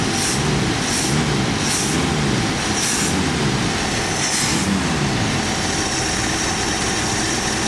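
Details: AMC Jeep engine after carburetor and choke shaft work (shaft cross-hatched, possibly flooded from pumping): steady, even idle with a slightly rough low rumble, no runaway speed, settling to a normal idle.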